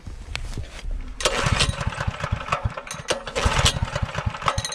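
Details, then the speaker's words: Newly acquired small-engine saw, started with and without choke, fuel on: coughs and sputters unevenly, surging and stumbling, won't keep running; owner suspects oil-saturated aftermarket air filter choking airflow, hard starting. "This oil or air filter, almost called it an oil filter, it is completely saturated with oil. And I think the trouble is when I'm putting this on, air is not getting through this layer of oil. And as a result, it's choking itself out."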